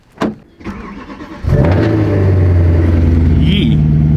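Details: Subaru WRX on a cold start: starter cranks briefly, then the engine catches into a loud, raspy, blatty roar, typical of an exhaust leak at a gasket.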